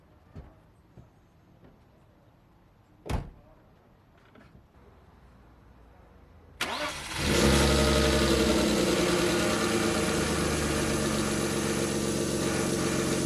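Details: 1998 BMW E39 520i single VANOS after fixing its crank-no-start, fuel pressure 54 psi: it cranks briefly, catches cleanly and settles into a smooth, even idle. No misfires or overheating, and the lifter tick is gone.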